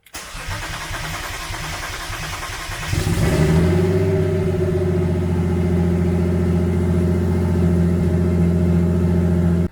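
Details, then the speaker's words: Turbo BMW E36 build, after the fuel pump was got working and before the blow-thru MAF and base tune are installed: starter churns about three seconds, then a clean catch and a strong even idle. Normal start. "the car starts everything's good now"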